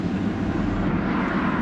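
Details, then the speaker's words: Audi A4 Avant with a new turbo, revved with the AC blower running: smooth rev, no rattle or clatter; the earlier turbo noise is gone. "there's no noise at all. Let's just give it a little rev last. Yeah, there's no noise at all."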